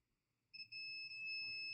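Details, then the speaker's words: Dead Mobicel tablet, multimeter across the battery connector plus and minus: a steady, unbroken high continuity beep reading 0, the main 5 V power line shorted to ground; MT6323GA power management IC later replaced. "Plus and minus is beeping 0. We have a short there. So the main 5 volts power line is shorted to ground."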